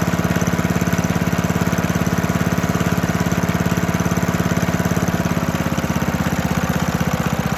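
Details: 1972 Hayterette mower, very worn with hundreds of hours, cold engine on fresh fuel after 6-7 months unused: strong, even single-cylinder putter at steady speed, no misses or stumbles; hard to start but runs strong.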